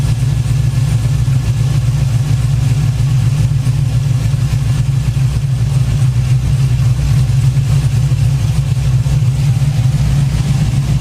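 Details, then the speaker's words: Trailblazer SS-type V8 in a Saab 9-7X after an LS1-style water pump upgrade, coolant-soaked belt treated with belt dressing: steady deep idle, even low rumble, no squeal or chirp; healthy idle with a quiet belt. "Just a little dab on each side of the belt. Make any belt quiet. Don't slip or nothing. Works great."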